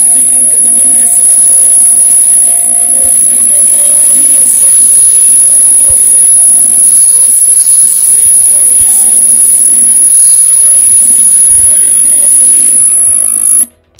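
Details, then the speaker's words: R433 RF module AM transmitter/receiver with LM386 amplifier: steady piercing high whistle over constant hiss on audio output, present even without amplifier, so believed to come from the transmitter; a low-pass filter before the amplifier is suggested to remove it. "So the hissing sound you hear there is coming from the transmitter, because even without the amplifier, the sound is still there. If you put the speaker directly from the receiver, you hear the sound, and if you connect the lower power amplifier, you still hear the sound."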